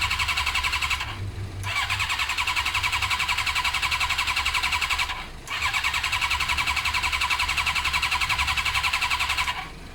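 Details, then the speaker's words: Suzuki GSXR 600 carbureted bike, three long cranking bursts with steady starter whir and even compression pulses, never catching despite spray into the carbs: no spark. It was fixed by fitting an original ignition unit with the resistor. "I'm pretty dead set at this stage Tyson sparking because we're spraying stuff in the carbs straight into the engine and it's not doing anything so next thing to check on this bike would be spark"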